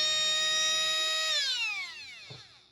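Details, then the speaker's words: Traxxas Nitro Rustler starter motor, before oiling: high steady electric whine winding down when power drops; dry unoiled bushings make it spin slower, and oiling them speeds it up. "Let me get an Easy Start and a wire harness, and I'll show you the difference when oiling it. Okay, this is without oil."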